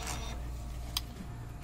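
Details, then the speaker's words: DTF printer starting a head-cleaning cycle: soft whirring and clicks as the capping station, blower and wiper wipe the carriage underside. This is the normal cleaning sound, unlike the screech from the wiper and lock rising together. "The cabin station reads the blower, the wiper, and use the wiper to wipe the bottom of the printer carriage."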